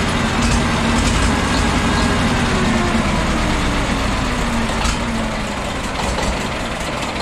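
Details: Famulus diesel, first start after two years standing, on two batteries in series for 24 volts, at idle: steady, even clatter with no misses or knocks; sounds healthy, normal idle.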